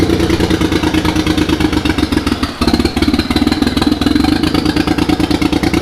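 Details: Mitsubishi 3000GT VR4 twin-turbo 6G72 DOHC V6, first start-up of new engine: lumpy, uneven idle with stumbling beat and clattery pulses, missing on a cylinder; owner suspects something left unplugged, possibly a rear injector connector, cause unconfirmed.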